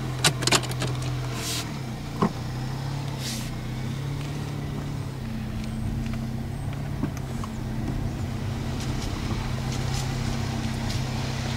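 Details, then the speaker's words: 1999 Toyota Corolla 1.8 on a test drive after fixing the power steering pump pulley: even, low engine hum with no whine, squeal or the earlier knock when coming to a stop; running normally after repair. "yeah usually by now after you drive it for so long you start to actually hear the uh the knocking when you come to a stop so yeah I definitely think that that that definitely fixed the uh [Applause] issue"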